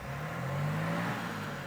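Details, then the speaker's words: Cold BMW X5 diesel, rebuilt after being bought wrecked, first start: light revs under 2000 rpm, pitch rising smoothly with no knocking or banging; normal engine rev. "So what I'm gonna do is raise the revs a little bit, just to make sure that the engine hasn't got any weird noises. No knocking, no banging, nothing like that. Still a cold engine, so I'm not gonna rev it more than 2000 RPM."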